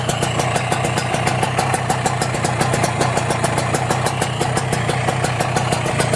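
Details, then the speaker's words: Kawasaki Ninja two-stroke, engine block 1878, started cold: steady idle with crisp, even popping and no rattle from crankshaft bearings or connecting rod; this engine sounds healthy. "Kita dengerin ah kedengar enggak ada suara ngeleker suara ngeleker itu saat digeber sedikit itu biasanya dari bearing kalau gak dari kruk asnya"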